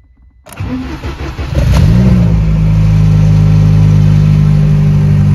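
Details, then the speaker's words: Car with ignition on, check light lit and fuel pump heard: the starter whirs and the engine catches and revs to a steady run, though it stalls afterwards (not audible here). "Енді оталдырып көрейік қазір. Көлік оталып кетті. Бірақ кейін өшіп қалды."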